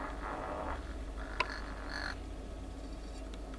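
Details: Speaker driver fed a 50 Hz tone from a tone generator during surround replacement: smooth, steady low hum with no rubbing buzz; voice coil now centered and moving freely before being set into the glue.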